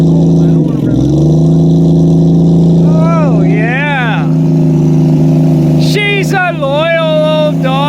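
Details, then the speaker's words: 1972 Plymouth Valiant A-body cold start, no coolant, microphone near the exhaust during throttle blips; deep steady rumble rising and falling cleanly; normal engine running. "she's a loyal old Dodge wom there you go people that's how she supposed to sound"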